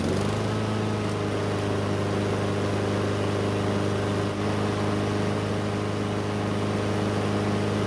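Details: Free curbside Blackmax mower that would not start, now running after a bad spark plug was swapped for a used factory plug: steady, even single-cylinder drone with no misses or knocks. Some smoke, likely from oil in the muffler.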